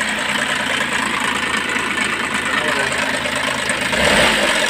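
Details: DA64 engine, reportedly freshly overhauled, idling with busy metallic rattle and grind from worn timing chain; engine also running very hot though radiator seems fine.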